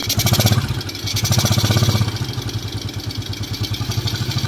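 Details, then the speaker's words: Old Suzuki Smash motorcycle after repair for rough, knocking engine (parts replaced), first test: idles evenly with steady low beat and light intake hiss from carburetor without air filter, no knocking; normal smooth idle. "Dan inilah hasilnya, Bro. Mesinnya sekarang terdengar halus, Bro."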